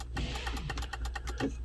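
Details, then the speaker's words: 2014 GMC Sierra SLT 4WD 6.2L L86 with intermittent sunroof operation, ignition on while trying vent-open: rapid even clicking over idle hum; sunroof not moving, suspected to be the sunroof motor. "interesting i can hear it clicking let me go up there and look and i'm not sure if that's the motor i'd imagine it is"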